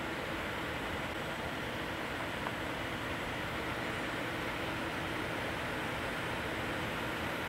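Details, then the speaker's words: Radeon VII graphics card with custom Wattman fan profile, around 2200 rpm under benchmark: steady, even airy hiss with no rattle, tick or pitch wobble; normal, fairly quiet fan noise. "for me point 100 is good it's a good fan speed good trade-off this is what it sounds like"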